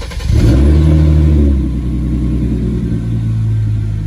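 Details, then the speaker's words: Hyundai Genesis Coupe after installing used Ark downpipes, replacing worn flex pipes, with race muffler at the rear; quick rev blip rises to deep loud drone then settles to steady rumble, no rattles, healthy exhaust. "I don't think these pipes are gonna do anything to the noise or power but my flex pipes were done on the other one I had these sitting around so I figured I'd change them"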